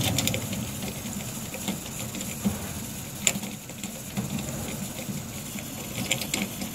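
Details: Beretta bithermic boiler (no plate exchanger) heating hot water: irregular crackling ticks and sharp pops over a low rumble from the top, probably water boiling in a limescale-clogged exchanger; stops once hot water is closed; fix is acid descaling.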